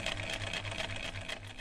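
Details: Chaika 144A sewing machine after overhaul, including motor mount and rotor shim fix: even, steady whirr with a light, regular needle clatter and no knocks or grinding; runs smoothly.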